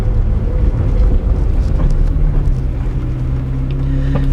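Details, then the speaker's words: High-end car after repairs with new Novitec exhaust installed: deep, even exhaust drone with a steady low rumble, no knocks or misses; engine running normally. "this novatech exhaust sounds amazing on this thing we got all the parts on everything's fixed it's running great"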